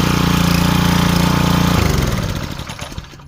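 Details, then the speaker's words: Ryobi 2900 PSI 2.5 GPM pressure washer after pump replacement, tested with water supply on: smooth, even engine beat for a couple of seconds, then shut off and winding down; working perfectly. "Here we go, guys. Working perfectly. Back in business."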